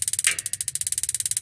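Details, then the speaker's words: Modena magnet-type gas water heater: rapid, even igniter ticking for about a second with one heavier tick, the igniter sparking normally. "Tik tik tik tik itu pemantik. Itu hanya sedetik aja teman-teman."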